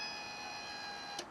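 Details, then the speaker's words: Fiat Panda 4x4 project with injectors not firing, ignition on. A steady thin electric whine for about a second, then cutoff; the fuel pump priming and filling the injection rail normally. "yeah i'm just filling the injection rail yeah there you go hopefully that's the injection rail filled up"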